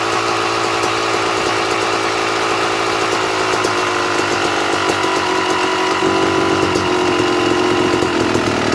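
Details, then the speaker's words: 2009 Yamaha YZ250 two-stroke dirtbike, carburetor air (pilot mixture) screw adjusted to fine-tune idle: crisp, even idle with steady buzz, starts slightly high then settles a touch lower; smooth, correctly set, normal idle. "when i think it is set correctly the idle will start up kind of high and then it will drop down another tiny bit"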